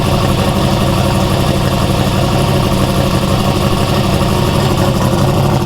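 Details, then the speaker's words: Big-turbo 363 Dart V8 in a Foxbody, new build, next-day idle to get the heads hot before lashing the valves: a deep, steady, even beat with no ticks or knocks; sounds healthy. "next day we're gonna start this thing up let it idle for a while get it uh nice and hot get the heads hot"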